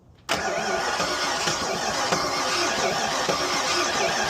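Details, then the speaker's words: Ford Fox-body Mustang, owner-built heads/cam/intake, after re-stabbing the distributor that was far off and once 180° out: engine catches with a ragged, uneven roar, stumbling; compression later found low on every cylinder; rough running after start. "All right. So I got it somewhat kind of the start and I don't think I like it. Yeah, that is not sounding good."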